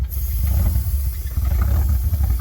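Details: ZR1 Corvette engine after flood repairs, first restart with new air filter: low idle lopes and surges unevenly, loudness rising and falling; rough running traced to an unhooked vacuum line.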